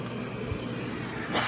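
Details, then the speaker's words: Aerus Lux Guardian Platinum vacuum being stepped up from minimum through Electrolux Model 60 and Model L power levels: a steady airy rush and low even hum, then a brighter surge; smooth, healthy motor. "it's insane how quiet it is yet it's still got adequate suction the lowest power on this machine is about the same as the model 30s power"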